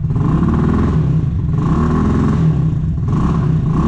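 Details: RPS Condor Honda Grom clone, 150cc, first start after purchase: repeated crisp, even revs bouncing off the rev limiter with no rattles or misfires. Normal revving to the limiter.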